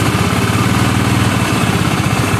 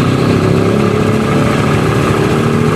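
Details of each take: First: Honda Vario 110 scooter, before repair, that often stalls after about 100 m: low, lumpy idle with uneven pulses, engine sounding too rough; oil then found empty and coolant checked. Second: Honda Vario 110 single-cylinder scooter that stalled after about 100 m, oil empty; after oil and coolant refill, restarted: steady, even putter, no stumbles or dying out; healthy idle.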